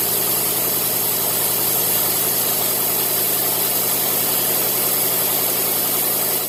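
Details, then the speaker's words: 1990 Cadillac after replacing the bad ignition coil that caused crank-no-start once warm: the engine catches, settles into a steady, even idle with no misses or stumbles, then shuts off cleanly. The intermittent start problem is solved. "just like that we seem to have solved finally the intermittent start and stop problems it would start just fine when it was cold and then it wouldn't start after you shut it off turns out bad coil"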